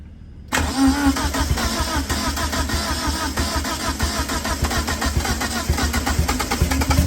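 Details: 1990 Mitsubishi Eclipse GSX after intake manifold refit, primed by cranking with plugs out for oil pressure: quick crank catches straight away, settles into steady, fairly even idle; engine starts and runs fine.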